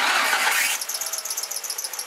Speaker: so the next one is a screeching or a squealing sound this is often at startup or under heavy acceleration but it can be constant that's going to be a belt issue